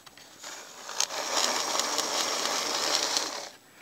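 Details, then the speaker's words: Bachmann super 8-wheel-drive F9 model locomotive from the 1970s after restoration, formerly very noisy: soft, even whirr for about three seconds without grinding or clatter; normal running. "that is a huge improvement yep it looks like i pulled this off and got yet another locomotive running for the upcoming bachmann documentary"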